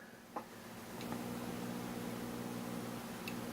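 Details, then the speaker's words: Homebuilt Class A single-ended amp, #42 power pentode output tube, about 20 mA plate current, tube warming: faint steady low hum from the speaker with stray clicks; output stage alive, low voltage gain. "not a lot of voltage gain with this power tube but you can hear the speaker humming so that tells me that our tube is alive and well"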